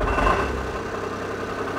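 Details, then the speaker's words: Free Smart car, engine said to sound like skeletons on a tin roof, oil level fine: fast metallic rattle over a steady cold idle right from start-up; exhaust rattle suspected, then doubted, source unconfirmed. "that's exhaust rattle before the engine's even running it KN rattles out"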